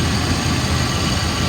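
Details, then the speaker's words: 1995 Ford F-350 XL, 7.5L gas V8, automatic, 129,000 miles, warm after about 45 minutes running without overheating: deep, even idle rumble, no knocks or misses; smooth idle, though burning oil smell suggests possible valve cover gasket leak. "it's been running for about 45 minutes it has not overheated it idle smooth revs up nice"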